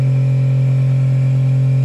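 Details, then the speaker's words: Schenker ZEN 30 watermaker on a 33 ft sailboat, first flush/purge cycle after installation, depressurization valve open: steady low electric hum, even tone, no surging, knocking or rattles; runs three minutes then shuts off automatically, no leaks, normal. "it will run for three minutes and then it will shut off automatically I don't see any leaks so we're good for now"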